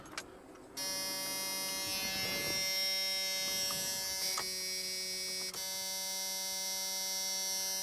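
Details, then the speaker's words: Junkyard Chevrolet S10 pickup with borrowed battery, key on: steady, even high-pitched electric buzz holding without wavering; fuel pump priming normally, pump works. "could swore I just heard the fuel pump that fuel pump is working"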